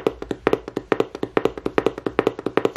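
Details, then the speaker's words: Fader Labs FRISK 7 portable scratch turntable: the crossfader makes sharp, dry pops about seven times a second as it is flicked back and forth, blamed on the reed switches it uses; crossfader switch popping. "so this is what I mean by popping so listen to this see what I mean and it's because they're using greed switches so you're going to hear"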